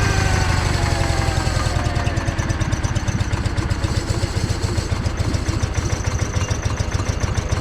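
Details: John Deere 318 lawn tractor that stalled and wouldn't crank, started by jumping power to the starter with key on: steady low even chugging at idle, no misses or knocks; starter good, a safety switch prevented cranking.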